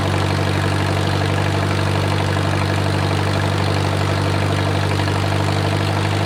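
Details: Wartime H tractor revived after 20+ years of sitting: idle slowed and warmed to full operating temperature, giving a steady even low rumble with no knocks or ticks. Oil pressure is good, and a typical oil leak is burning off.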